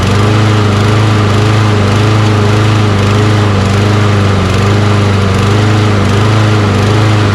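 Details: Toro Recycler mower with Kohler XT675 engine, hot, after carburetor cleaning and fuel injector cleaner added to old fuel: steady, even single-cylinder drone, no surging or hunting, running normally though still hard to start.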